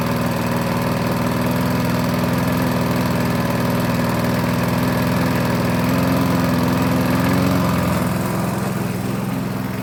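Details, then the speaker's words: 1988 Alco push mower, Briggs and Stratton auto-choke engine, after service with new blade, cutting cut-and-drop: steady mid-pitched drone dipping slightly under load and recovering; normal running under load. "And there we have it. That actually worked really well. The new blade makes a big difference."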